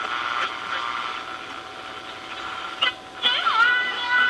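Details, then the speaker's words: 52-year-old NuTone 2051 vacuum tube intercom master station after new tubular capacitors, cleaned controls and a replaced tube socket, on a jury-rigged bench antenna: AM static and whistles sweep past during tuning, then a clear station; normal reception. "reception hearing the shock especially sort of on a jerry-rigged antenna so the tuner seems to be working well we have plenty of volume"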